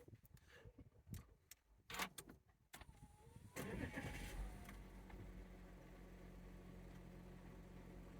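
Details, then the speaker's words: Engine: brief crank, quick catch, then an even, steady idle with no knocks or chain rattle; starts and idles healthily. "Starts up nice. Settles down to a nice idle. Sounds happy enough."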